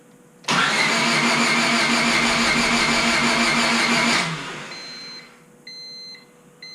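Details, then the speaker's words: Rebuilt Honda Civic Si, crank no start: even cranking at about 200 rpm for about four seconds that never catches. Crank sensor, MAP, TPS and timing advance all respond, so a bad ignition coil was suspected. "So that leads me to further believe it's probably got a bad coil. So I'm going to start looking into that end of it."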